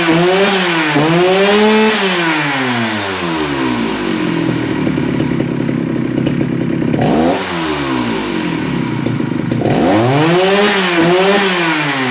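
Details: Jonsereds 70E two-stroke chainsaw tested to see if it runs: a sharp buzz climbs and falls cleanly through repeated revs, then drops to a steady idle; the saw runs healthy.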